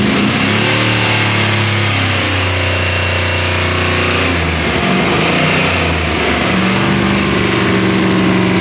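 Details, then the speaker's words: LS3-style V8 swapped into a BMW E46, first cold start with throttle held about 10%: lumpy idle with a slight misfire and top-end valvetrain clatter, noisy until oil pressure builds; exhaust sounds good. "it runs a little quick little miss on startup but it sounds great that exhaust sounds really good now the engine's a little noisy it takes a while for these to build oil pressure so that'll definitely quiet up"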